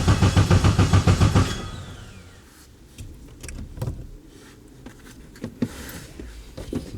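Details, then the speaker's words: K24-swapped Nissan Cefiro first start attempt, oil pressure confirmed, borrowed base tune, cam signal error. Even cranking pulses, three or four a second, for a second and a half without firing; crank no start. "As far as the not starting, so I'm getting a cam signal error, but the settings I have, basically I got this tune off a different, like off of a car."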